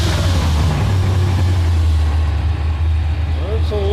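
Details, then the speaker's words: Engine restarted after new spark plugs; the Amazon distributor is only a couple of trips old, and timing was adjusted; cap and rotor are next if no change. Low uneven rumble with an irregular beat, only a bit better: rough running. "So I got all the plugs in. I'm going to fire it up just to see if that made a difference."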